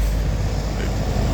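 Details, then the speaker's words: AC outdoor unit on a no-cooling call: compressor gives a steady low electrical hum without starting; terminals intact, no burnt wires; compressor failed internally, likely windings. "That's definitely the sound of that compressor. Maybe the winding, something inside of it. It's jacked up."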